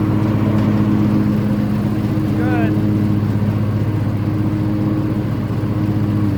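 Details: Toro TimeCutter Max 54-inch zero-turn mower running with newly replaced blades engaged in a field: steady, even drone with smooth low hum and no knocks, rattles or blade vibration; healthy.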